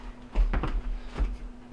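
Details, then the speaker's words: Whirlpool WW2780W double oven after replacing the relay board, upper oven set to bake at 350: a few crisp clicks over a quiet room as the relays pull in; normal relay switching. "and you can depress the light switch you hear the relays clicking"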